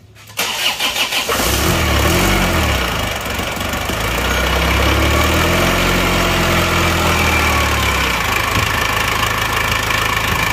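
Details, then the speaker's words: Isuzu Panther diesel after its crankshaft broke despite two earlier rebuilds, now with injection pump timing fully retarded to offset a too-deep regulating valve. It cranks quickly and settles into an even, smooth idle with normal exhaust smoke. "Nah, ini agak halus ya ini suaranya sekarang. Tidak terlalu garang."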